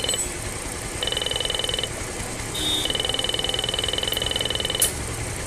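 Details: Bajaj Pulsar, noise not from the engine, stops when battery positive is removed: short, thin, buzzy horn bursts that stutter instead of blaring; weak horn from low supply voltage.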